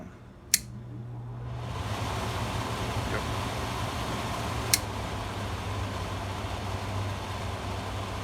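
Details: Fedders B-chassis 11,500 BTU 230 V through-wall air conditioner (2011) whose fan had stalled and hummed, tested after replacing the 25+6 µF dual run capacitor with a 25+5 µF one: a click, then a steady low hum and even air rush. The fan motor runs normally.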